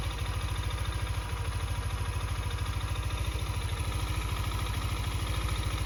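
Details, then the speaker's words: Yamaha NMAX V2 scooter at 28k odometer, crankshaft and block failed. Idling with a steady low thump and dull knock on every beat, about three a second; worn crankshaft, also burning oil. "Para may idea kayo, ito yung senyales kung palitin na ba yung si Gunyal nyo. At saka ito yung ingay."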